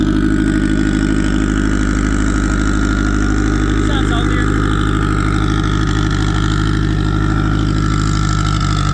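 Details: Turbo car on E98 fuel, runs rich on the low end, kept under 4 psi. Deep idle that lopes and wobbles unevenly instead of settling; tune made for a 6466 turbo with 1.05 housing, but a Precision 7675 turbo is now fitted.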